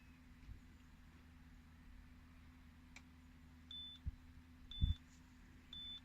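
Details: Peugeot 1007 1.6 16v automatic, sat unused for 7 days, won't start: three short high beeps about a second apart over near silence and no cranking at all, caused by a dead battery.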